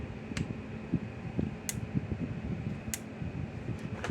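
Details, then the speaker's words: Power Wizard electric fence energizer after repair with new 10 µF capacitor, plugged in and switched on: sharp single clicks about every 1.25 seconds over low fan hum, red light flashing; normal pulsing. "clicking again. The little red light's flashing."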